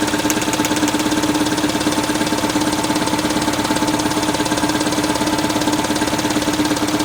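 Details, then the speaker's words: 1979 210 (4-cylinder, carbureted) after choke fix, idling: steady but lopsided chuffing about two beats a second with dead spots; running on only two cylinders (1 and 4), 2 and 3 dead; compression test planned. "See? It's only running on 2, looks like. It's got 2 that are dead all the time then."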